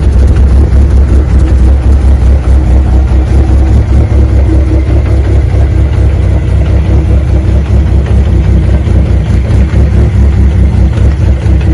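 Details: 1995 Plymouth Neon ACR with a big cam, ahead of its first road trip: deep, steady idle with an even low rumble and no misses, ticks or knocks; sounds great, normal idle.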